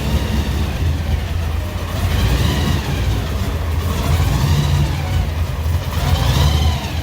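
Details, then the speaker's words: 1955 Chevy project car engine on first start with new ECU tune, in neutral: idle rises and falls in slow waves every couple of seconds; idle air control hunting, trying to reach 750 rpm target without enough response; idle surging. "But you can see we're getting some IAC and a little surging. It's trying to bring it to 750, but we don't have enough response yet."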